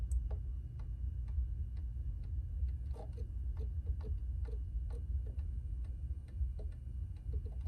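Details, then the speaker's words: Xa-miner crypto miner running in a bedroom: soft, irregular clicks about once a second over a low hum; the hard drives seeking normally. "The hard drives, you can hear them click, click, click."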